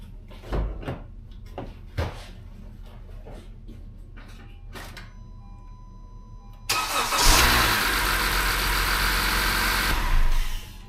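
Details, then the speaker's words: 2016 Honda CR-V, 2.4 Earth Dreams engine, cold start after sitting overnight, after timing chain tensioner replacement per TSB 19-019: a few clicks then smooth even idle, no startup rattle; normal cold start. "right, so as you can see, no more noise."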